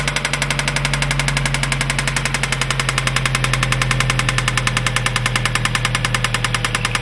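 Sharp, evenly spaced ticking at about 200 a minute rides over a steady idle hum; an engine knock of unknown cause.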